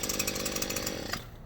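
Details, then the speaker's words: Stihl two-stroke hedge trimmer at full throttle: buzzy note sounds strained and flat, then sags off, a bog caused by a worn spark plug. "But here we go. Oh, that's no good. No. That's a full throttle."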